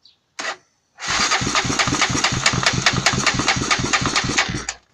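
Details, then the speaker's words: Honda TRX300EX quad that had run fine: quick, even cranking about three turns a second for four seconds, never firing or catching; cranks but won't start, cause unknown. "anyone know what's wrong with this little start and then it won't we're trying to kind of quad is this Auto trx300ex if anyone knows leave a comment what's wrong with it try it one more time"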